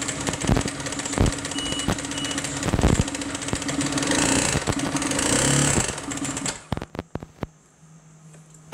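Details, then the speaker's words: Piaggio MP3 500 HPE ABS/ASR scooter run without the variator and drive: heavy, irregular internal knocking until it shuts off. A big-end plain bearing problem is suspected but not confirmed. "ah powiem wam jedną rzecz Jest nieciekawy jak cholera jasna"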